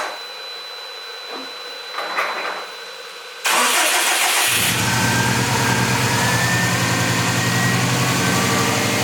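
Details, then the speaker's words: Subaru STI first start after winter storage, oil and fuel primed, correct map loaded: quick crank, fires and settles into steady, even cold idle; good oil and fuel pressure, oil temperature not up yet, no knock feedback. "so got good oil pressure sweet got fuel pressure sweet oil temperature obviously isn't up"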